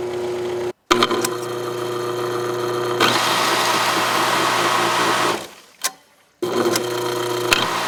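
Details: Aqua-Flo XP2E pump motor on Dynasty hot tub, heard with side panel on at low and high speed: steady hum with rough fast rattle, fading as it stops; loose bearing spinning in housing.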